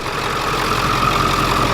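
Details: 7.3 turbo diesel van idling after alternator replacement and serpentine belt reinstalled; charging with no dash lights, even steady diesel clatter without knocks or belt squeal — normal idle.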